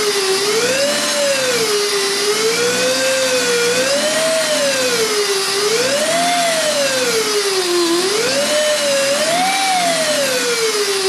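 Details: Alternator under the hood heard through a telephone-recording inductive pickup coil. Clean electrical whine of a few hundred hertz that rises and falls smoothly with engine speed, nothing rough in it; normal alternator output.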